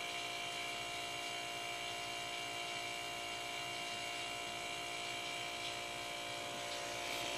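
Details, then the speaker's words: Homemade silent three-gallon air compressor using an old refrigerator compressor pump, cold weather, reluctant to start: steady even hum with constant tones, no knocks or rattles, running normally. "okay compressor's running i guess it doesn't like to start when it's really cold outside like i say it's an old one you can hear it"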